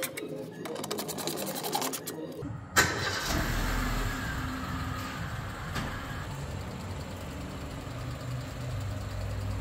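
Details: Mercedes-Benz B-Class W245 after pulley bearing and serpentine belt replacement: starter cranks briefly, engine catches and settles into steady low idle with the previous belt squeak gone.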